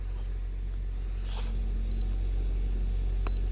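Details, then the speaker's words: Nissan Altima 2.5L four-cylinder that stalled after 1–2 minutes with code P0011, after intake timing solenoid replacement and code cleared: low steady even idle, no misfire; runs smoothly, no check engine light. "There is no more check engine light. Car runs very, very smooth now."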